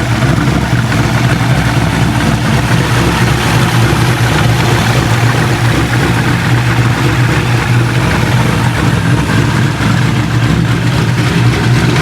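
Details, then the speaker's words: C6 Corvette Z06 with ported heads, B3 cam, FAST 102 intake, headers, X-pipe and straight-pipe axle-back on E85. First start after the cam and twin-disc clutch install: a loud, deep, steady V8 rumble with no ticks, knocks or misses. The idle is normal. "so there you have it guys b3 cam install along with the rxdr twin disc clutch and it sounds it sounds good"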